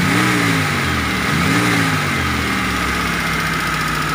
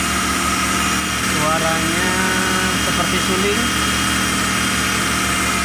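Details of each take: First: Toyota T120SS injection, after repair of a dented oil pan that pressed the oil pump pickup against it: engine blipped from idle rises and falls cleanly, and the flute-like shriek on acceleration is gone. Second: T120SS fuel-injected engine, revved: steady flute-like whistle rising and falling with each rev, heard as the pump draws oil; a dented oil pan presses against the oil pump pickup.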